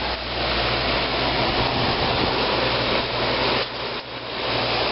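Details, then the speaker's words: 1995 Fedders window air conditioner, heard outside with the compressor running and another unit faintly in background: steady low hum, even fan rush, no rattle or knock; running normally. "outside with the compressor running it's real quiet you probably still hear the carrier running in the"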